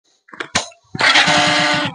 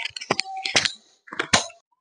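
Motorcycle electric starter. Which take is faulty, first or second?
second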